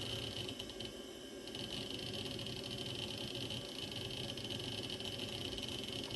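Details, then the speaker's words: Osborne 486 DX2/66 PC booting: the old hard drive gives a constant high whine over a hissy hum, with bursts of seek chatter. Unusually loud drive, cause unknown. "listen to that hard drive wow"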